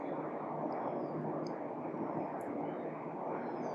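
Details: Sinox 12 V DC solar ceiling fan, remote-controlled, running on third speed at under 1 A: steady, even airy whoosh with no ticking, rubbing or wobble; normal running.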